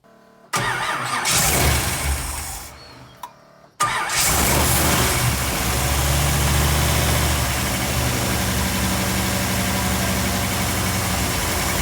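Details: 1957 Bel Air after carburetor teardown and reinstall, fuel in bowls, no leaks: after a few quiet seconds catches at once and settles into steady, even idle with no stumbling or misfire.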